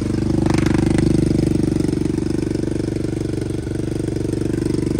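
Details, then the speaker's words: 2023 Kawasaki KLX110 single fitted with a TBparts 143cc bore kit, Mikuni VM26 carb, BBR U-Flow and stock exhaust, on its first start with the choke on: quick, even thumping at a slightly fat idle with no rattles during the first heat cycle; normal idle. "all right now just let it idle just like that we'll give her a first heat cycle"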